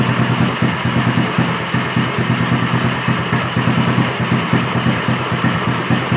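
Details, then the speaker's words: Gas engine running on straight Seafoam instead of gasoline: ragged, lumpy idle with sagging, stumbling pulses; spark plug found drenched in Seafoam, fuel not combusting. "and you can see that the spark plug is drenched yeah in the seafoam but it just wasn't combusting"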